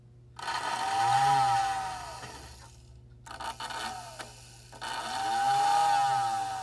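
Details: American Flyer whistling billboard after disassembly and repair, run from a transformer: whistle tone swells up and fades away twice over a motor whir, with some rattle from vibrating on the table; whistle now working properly.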